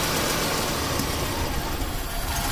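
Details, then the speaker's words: 1989 Buick Reatta 3.8L with stalling, hard start and rough idle: lumpy idle sags and nearly dies when a little propane is added, yet the oxygen sensor never shows rich; mixture actually rich, false lean reading. "how it almost dies right there if i keep it going it'll just die and we're just adding a little bit and it never shows"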